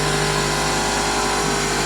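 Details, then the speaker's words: Toyota Celica GT-S engine at idle, alternator charging: steady idle with a coarse buzzing vibration and faint knocking underneath, an uneven rough note; owner suspects a motor mount, cause not confirmed. "it's a little a little noisy she's hitting something and like a little vibrator or something maybe a motor mount"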